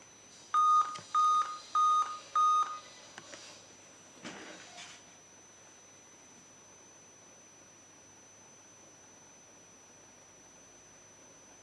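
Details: Laptop/PC at startup: four short, evenly spaced mid-pitched beeps about half a second apart, then quiet handling noise; startup beep warning.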